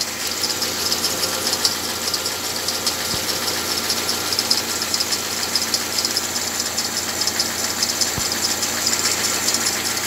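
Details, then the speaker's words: Thin, high squeal riding steadily over the idling engine from the flat alternator belt, may squeal periodically; slipping alternator belt. "Так, ну вот имеем такой неприятный звук от ремня генератора."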